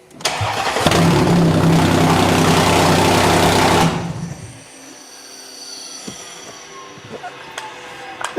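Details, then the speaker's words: Supercharged Audi Q5 3.0 TFSI cold start: catches and runs about three seconds with a loud, raspy, puffing roar, louder with the oil cap off, so the PCV valve was first suspected. Cause found: an exhaust leak from a snapped-off catalytic converter, later welded back. "there must be some giant exhaust leak coming from this car, or at least from the engine. And it might be related to the PCV valve, because when I take off the oil cap, it gets louder."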